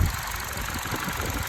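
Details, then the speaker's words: 2012 Chevy Cruze LS 1.8 with a slightly surging idle despite many replaced parts; engine shakes slightly with an uneven, wavering beat; owner suspects the PCV valve, no PCV leak found, cause unclear. "i don't know if you can see it that well in the camera but engine is shaking very slightly"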